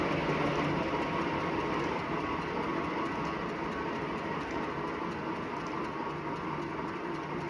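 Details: Wahoo Bike Shift smart trainer at 379 km on the lifetime odometer: a steady whirr with a soft, rhythmic rubbing swish on every full pedal stroke, a belt-rubbing/grinding noise that led to a warranty claim.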